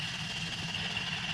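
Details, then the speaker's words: $400 Toyota Corolla being rebuilt after an engine knock (worn bearings, cylinder 4 worst), fuel and spark disconnected, belts off: smooth steady starter cranking without firing, oil pressure climbing to 55 PSI. "O2 sensors, fans, water pump, none of the other belts are on. So yeah, we're literally just cranking for oil."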